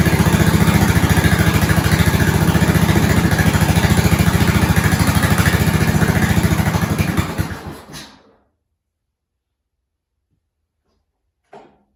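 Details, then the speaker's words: 1970s snowblower rescued from scrap, small engine started on slow throttle with choke on, key on and a couple of primes, with a new fuel line. Steady, even putter of about 3.5 beats a second before shutting off, a normal idle. "Slow, choke on, key on, couple of primes. That sounded good."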